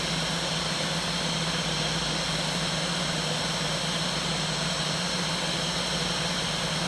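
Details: New 500 W air-cooled CNC spindle on its separate motor controller, powered at 41 V: a high, steady whine with rushing air hiss that never changes pitch, as the spindle runs at full speed with no control; bad controller suspected.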